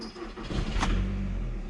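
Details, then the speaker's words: VW Passat 2.0 TDI diesel that wouldn't start, no fault codes; fuel pump dead due to bad connector pin contact, pins repaired: short crank, catches quickly into steady low rumble; normal engine start after repair. "Here we goo..... Our car running. Let's try another one time."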